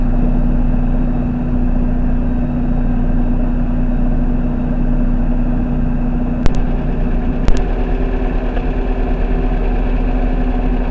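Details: First-generation NA Mazda Miata 1.8 running after fuel pump replacement: steady, even idle with a low constant drone and no misses or knocks, apart from two brief clicks; engine runs smoothly.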